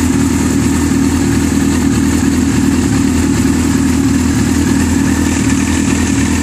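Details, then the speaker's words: Yamaha R6 engine idling with a light, fast metallic rattle over the steady beat as the screw-type, spring-loaded automatic cam chain tensioner fails to hold the chain taut; worn tensioner, slack cam chain. "látzik látszik is hogy a vezérmű lánceszítő nem bírja a munkáját elvégezni"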